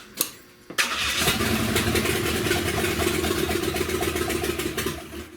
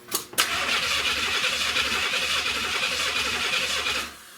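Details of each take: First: 1970 Buick Wildcat 455 V8 with no exhaust, after a wire was hooked up: catches right away and barks loud and even for several seconds with no knocking heard, though it won't stay running. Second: 1970 Buick Wildcat 455 V8: the starter spins steadily for about four seconds without firing; a wire was off the distributor and showed no power on a test light, so there is no ignition.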